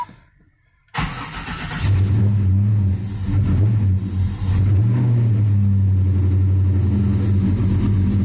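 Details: Cold start at 39°F of a freshly rebuilt LS 383 stroker V8 in a Chevy S10 (Eagle forged crank, H-beam rods, Mahle pistons): short crank, fires, blips once, then holds a smooth even low idle rumble; charging well; healthy cold start.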